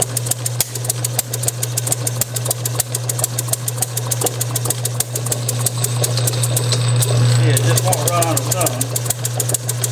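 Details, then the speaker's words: Bessemer model engine on a test bench, spun by an electric motor, with a proven carburetor and fuel tank, Hall-sensor spark timed about 5–10° BTDC, run slightly richer. Sharp, fairly regular pops about three a second over the motor hum; it fires but won't run on its own. "I wanted to post this video of my Bessemer model I'm still not able to get it to run but it is firing anyway"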